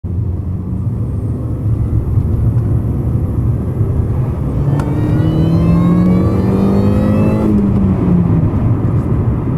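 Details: Mini Cooper S accelerating around 3k rpm in third gear and up: over steady road rumble, harsh rising rasp from the front left climbs with engine speed then fades; grinding noise under acceleration.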